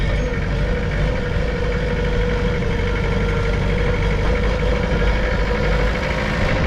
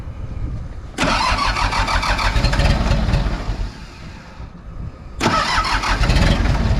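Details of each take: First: Mitsubishi BD2F dozer diesel running at constant speed after being revived from two or three years sitting: steady, even clatter with no misses or knocks, running smoothly; normal running. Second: Mitsubishi BD2F dozer diesel, first start in a couple of years, low on fuel: slow labouring crank on weak batteries, then it fires, chugs, sags and picks up with more throttle; hard starting on weak battery.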